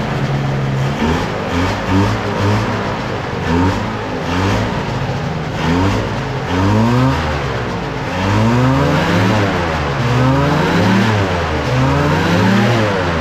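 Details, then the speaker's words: Microlight two-stroke engine with three-bladed prop, braked in neutral: buzz rising and falling smoothly with throttle, clean pickup, no sputter or misfire; running well and quietly. "that's nice sounds good as well those smells"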